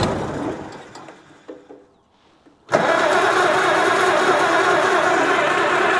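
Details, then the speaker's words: 1937 Oliver Hart Parr 70 tractor started in neutral with choke and throttle, oil pressure showing. It sputters and dies, then catches to an even loping idle. Fuel is dripping from the carb and spark is present; owner suspects it is just cold-blooded. "Are you that cold-blooded or what? Okay, everybody calm down. Well, I think this might be that cold-blooded."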